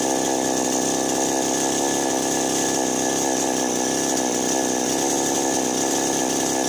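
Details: Chainsaw that would not start or died right after starting; fault was a loose spark plug. Now runs with a steady high-revving two-stroke buzz at even pitch, no stumbles or cutouts: normal running.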